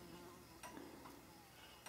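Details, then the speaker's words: 1972 K25 truck turn signal test during wiring harness checks: two sharp flasher relay clicks about 1.2 seconds apart, slow flash rate, a light dim and unchanged while the connection is checked; suspected poorly seated bulb. "now that might be due to this we'll just check this connection a bit we're I'm looking down the light I'm not seeing it change and you can probably hear the ticker not ticking any different"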